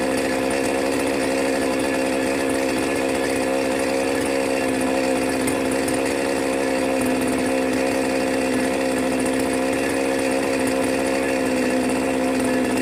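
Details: New Magnum G11 chainsaw, bought online and fresh out of the box, holds a flat, steady buzz that never climbs on throttle.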